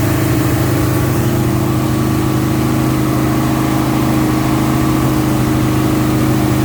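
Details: 1971 Alfa Romeo 1750 GTV with manual transmission, engine cold: a steady, even idle sits noticeably fast with a smooth low drone and no misses; the high cold idle dropped later and may need adjusting.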